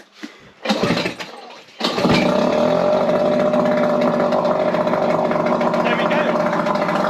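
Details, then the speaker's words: Mercury 3.3hp two-stroke outboard, stood unused for several months, on a water-bucket test rig in neutral: a couple of pull-start attempts, then it catches and settles into a crisp, even idle; runs healthy, then left to run out of fuel. "that's one healthy little engine so i'm surprised that went that well"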